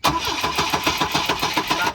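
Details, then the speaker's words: Starter cranking on a 1984 Volvo 242 (B23 engine, LH2.1 injection, automatic) that will not start; sharp crackling snaps heard over even cranking pulses, suspected spark arcing to ground or loud injector clicking, possibly wrong firing order. "yep yep seems like it's not starting that is correct all right verify that it does not run"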